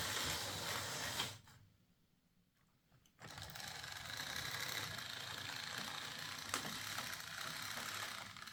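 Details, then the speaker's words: Old Hornby Class 2P model locomotive with stop-start running, reportedly picking up from only one set of wheels: motor whirs, cuts out, then resumes unevenly, with a wheel lockup; a pickup was found broken off. "Simon tells me that this is a a bit of a case of the old stoppy starty IUS and uh only appears to be picking up from one set of wheels so it sounds like a pickup issue obviously"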